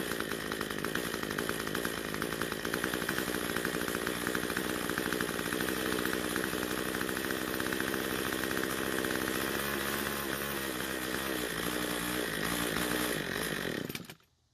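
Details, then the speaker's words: Cub Cadet two-stroke trimmer on ethanol-free fuel runs at full throttle but idles unevenly, wavers and dies: lean low-speed mixture starving it of fuel. "so since it died while idling we're gonna try and adjust the L screw which is the scrutineers the engine it seems to be starved for fuel"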